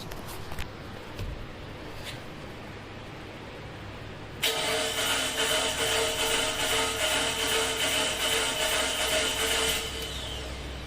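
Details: 2011 Mitsubishi Eclipse 2.4L that died while driving, cranked for Pico amp-clamp relative compression test, compression sounding poor: starter spins with steady whirring beat, never catches; crank no start.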